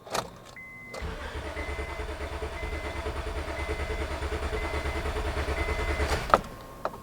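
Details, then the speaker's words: 2005 Honda Odyssey with misfire codes, flashing check-engine light and severe shaking: steady, even cranking at about three beats a second, with even compression waveform humps; no mechanical fault, spark plug suspected. "okay the engine sounds good we have a nice consistent CAD as we're cranking the engine"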